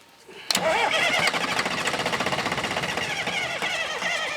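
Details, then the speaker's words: Sawmill wheel loader diesel, sat about 20 years: starter turns engine over evenly about four beats a second but it never catches; owner suspects no fuel, one injector seen leaking. "I don't think we're getting any fuel. Man, it sounds like it wants to, don't it?"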